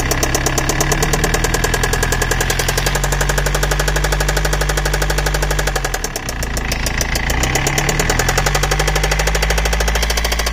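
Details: BMW E91 320d 2006, M47TU2D20 diesel idling; earlier squeaking changed to knocking; steady sharp knock about four per second, dipping when engine stumbles then returning; engine knocking, cause unknown.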